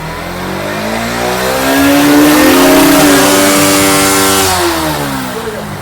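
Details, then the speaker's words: Bajaj Pulsar NS160 BS6 that would only start at full throttle, after fuel pump cleaning and priming with key cycled ten times: smooth, even note rises gently under light throttle and settles without stumbling or stalling; starting and pickup problems fixed. "கவனியுங்கள், அது 1.5-ல் மிகச் சரியாக இயங்குகிறது, நான் மெதுவாகத்தான் ஆக்சிலரேட்டரை அழுத்துகிறேன். வாகனம் அணையவில்லை."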